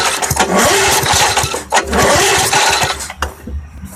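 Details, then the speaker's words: Vintage Sears 131.91280 push mower with a swapped 1978 Briggs & Stratton 92908 3.5 hp engine, points and condenser ignition, stored years in a barn: quick pull-cord rasps, turning over but never firing. The spark tester shows no spark. "actually I'm seeing no spark there not at all determined that the 20-in Craftsman over here has no spark to it so with no spark it's not going to run"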